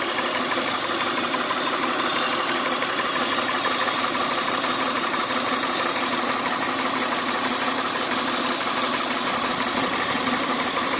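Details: 1999 Honda Odyssey idling: even idle under a steady airy hiss; owner suspects a vacuum leak underneath the intake manifold, unconfirmed.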